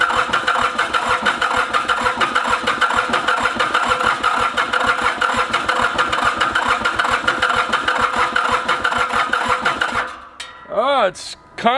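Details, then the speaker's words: Ransomes Bobcat diesel mower, Mitsubishi K3D engine, first start attempt after 9 years, cranked with starting fluid; owner suspects over-fueling causing profuse black smoke: long fast even cranking, about two beats a second, no firing; crank no-start. "we are gonna shut the fuel pump off hit the fuel shutoff and just crank this thing over my theory is that which is why I'm getting this crazy profuse amount of black smoke"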